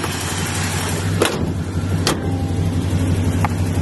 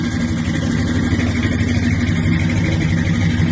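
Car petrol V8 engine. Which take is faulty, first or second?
second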